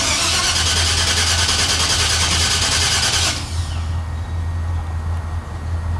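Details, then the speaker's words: S10 pickup engine sitting roughly 2–3 years, after fuel pump and throttle-body pressure regulator work: cranks about three seconds, then catches and settles to a slightly rough, unsteady idle, puffing a little smoke. "It's alive! It's obvious. Oh, it's alive, you heard it. Now, it is puffing a little bit of smoke. It has been sitting for roughly 2, maybe 3 years."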